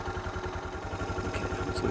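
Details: Suzuki DR650 single-cylinder at about 7,000 feet, idle just adjusted up with the idle screw: quick, even thumping at a steady idle with no misses or stumbles; healthy idle.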